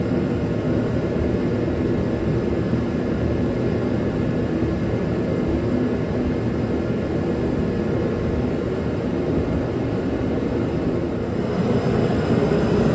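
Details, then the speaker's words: Dynaglo Pro 75,000 BTU kerosene torpedo heater RMC-KFA75TDGP, which had sputtered and would not stay lit, running after its cracked fuel and air lines were replaced: a steady, even burner and fan roar, no sputtering or surging, holding flame. "We're gonna give it a go, fire it up and see if just that cracked fuel line and cracked air line were the issue with this machine."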